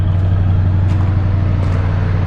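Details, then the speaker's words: Barn-find 1977 Lincoln Continental Town Coupe V8, parked for years, original exhaust: deep, steady idle burble with even low pulse, no ticks, knocks or misses, not smoking; healthy, smooth idle. "It's not smoking at all. Sounds really good."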